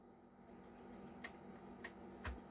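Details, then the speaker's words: Famicom Disk System trying to save a game to a write-protected disk: faint sharp ticks roughly every half second over a quiet motor hum while the drive tries to write, then an error; disk drive ticking. "ticking noise is still going on error free yup so error free is the error code for a right protected desk"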